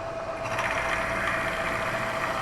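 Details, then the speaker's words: Milling the base for new Black Diamond drill grinder wheel dressers: a steady cutter whine with a light, fast chatter while taking slow cuts, as the partly cut piece works loose and rattles. "I'm still taking it slow. Can you hear that piece is rattling a bit?"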